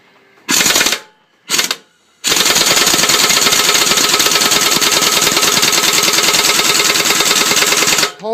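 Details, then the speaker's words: New-to-me 3/4-inch drive air impact gun on a BMW M62TU crank bolt, first try, compressor at perhaps 60 psi with pressure lost down the line: rapid, steady hammering that never picks up, slow and starved, bolt not breaking loose; owner thinks it needs more air. "so you can tell it's pretty slow it revs up i think it would go a little faster than that if it had the right amount of pressure"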